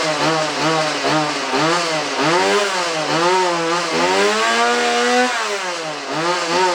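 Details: Chainsaw run with bar and chain removed after cleaning to cure a bog, taken off choke once it kicked. It revs up and falls back repeatedly, crisp and clean with no stumble or hesitation. Normal running.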